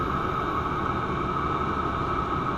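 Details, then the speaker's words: Chinese diesel air heater in garage around 20°F, -2°F outside, first run: steady even jet-like roar, fixed mid-pitch, no pulsing or sputter, getting hotter; normal full burn. "we had a little bit of smoke but must not be enough fuel unless it is burning because you can hear it sounds like a jet engine getting hotter getting a lot hotter"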